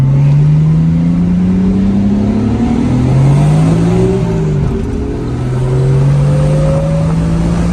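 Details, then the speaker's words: Nissan R32 GTR on test drive after new Koyo radiator and coilover install with alignment: strong, clean pull, engine note climbing smoothly through gears, no knocks or misfires; a rear wheel bearing noise suspected separately; healthy under acceleration. "Oh, car's feeling really good and healthy. Let's see if we can do a little pull."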